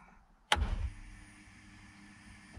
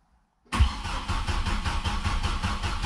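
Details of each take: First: 2007 Chevrolet Colorado 2.9L during Passlock security relearn after ignition switch replacement: relay click at key-on, then a faint steady whir for about two seconds that cuts off cleanly, the fuel pump priming; engine still won't start. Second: 2007 Chevrolet Colorado 2.9L after Passlock ignition switch replacement, before relearn: starter cranks evenly about seven seconds but engine never catches; security system cutting fuel, requiring key-on relearn.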